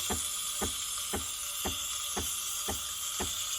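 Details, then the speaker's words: Breville espresso machine steam wand after suspected clogged steam tip removed: steady airy hiss with soft pulses about twice a second, some clicking; steam flowing freely again, fixed. "You see the water steaming right now. It's all good."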